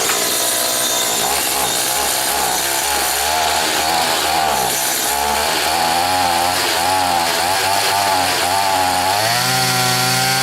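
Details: Stihl FS80 trimmer after carburetor rebuild and ultrasonic cleaning, low-speed screw turned in: small two-stroke drones and hunts up and down, bogging instead of climbing to full revs until a late rise. Engine will not rev up.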